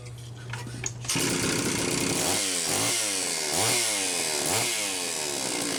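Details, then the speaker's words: Homelite Super XL-925 chainsaw after a rebuild with new piston, cylinder and seal, bearing fine: catches after a short tick and revs cleanly with good compression. Initial smoke was assembly oil, and it still needs break-in idle time. Normal running. "Ken this is good excellent compression the initial smoke was the assembly oil burning off obviously this thing needs to idle a lot more"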